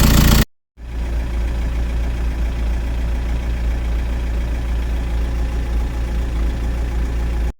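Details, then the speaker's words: 2010 VW Caddy 2.0 SDI diesel after first start, low on fuel, warming up to bleed the coolant system: even low diesel clatter at steady idle with no misses or knocks; normal idle. "So there we have it. We're now running."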